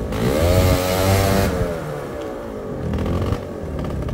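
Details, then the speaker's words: Two-stroke scooter with choke held on (auto-choke failure demonstration): thick lazy note that bogs and sags, slow and doughy, won't idle or take off; running rich with choke stuck on, clean with choke off. "oh already pretty boggy really doughy and slow doesn't want to a either having some real dramas at low"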